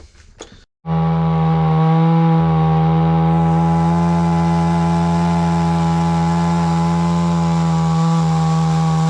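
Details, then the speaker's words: Hyundai 450 chainsaw cutting wood after carburetor diaphragm replacement, which had stalled while cutting: strong steady high buzz holding pitch without bogging or cutting out; runs clean and pulls properly under load. "Evet şimdi motor ağaç üzerinde deneyeceğiz"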